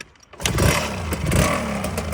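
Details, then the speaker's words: 1995 KTM 300 EXC two-stroke, warm, after work on a carburetor jet, seemingly the main cause, on a bike that would not start: it catches on the first kick and settles straight into a crisp, even idle; normal start and idle. "that's what the guy said is he'd start it he'd be able to start at first kick every time so seems like that jet was the main issue"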